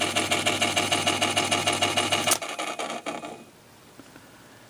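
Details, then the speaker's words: Sony TC-252D stereo tape deck in play, a quick even rubbing tick at about three per second that starts as the flywheel spins up, then stops; play felt, lubrication thought needed or something hitting, cause unconfirmed. "yeah see how long it takes to get that noise going and that's that get that flywheel going I think there's some lubrication needed there somewhere obviously"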